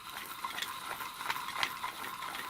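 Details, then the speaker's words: Podolsk hand-crank sewing machine hand drive after fixing a factory defect and reinstalling the gears: light, even gear ticking with no rattle or ringing; knocking eliminated, drive runs smoothly. "ничего не тарахтит ничего не звенит всё отлично с ручным приводом разобрались"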